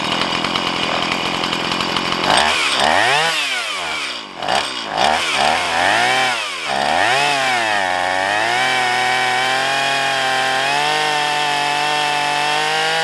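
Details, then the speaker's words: Stihl MS170 two-stroke chainsaw with a 16-inch bar, right after the carburettor mixture and idle adjustment: blipped a few times, then held wide open, the high note wavers instead of screaming clean, and the owner is unsure whether it is lean or rich. Poor running at full throttle. "Okay, that's not good. That sounds like it's lean. Or maybe rich, I don't know."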